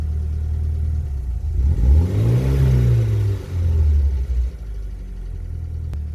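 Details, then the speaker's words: BMW E30 M40B18 turbo project (turbo not yet connected) on a standalone ECU after its first start: free revs during autotune with warm-up enrichment off, kept a bit rich. Engine rises smoothly and drops back to a clean idle without stumbles, knocks or rattles; normal revving. "so the autotune is on, and febo will rev it a little bit all the way up here, so it can correct the cells by it self"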